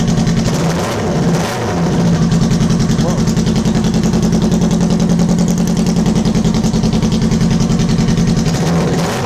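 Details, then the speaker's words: 2006 Kawasaki Ninja ZX10R, first start after modifications and a fuel system check, running without mufflers: fires after a couple of tries, then holds a loud, rapid, even idle with no misses. "damn this thing is freaking loud sounds okay"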